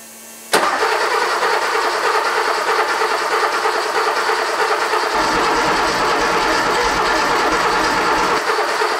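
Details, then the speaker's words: Porsche 911 Cabriolet 3.2L flat-six after head-stud replacement and injector cleaning, intake refitted, first start attempt: starter cranks steadily about nine seconds but never catches; owner suspects no spark, unconfirmed. "so I suspect I'm not getting any spark so I'm going to run the starter hopefully this thing doesn't freaking fall off"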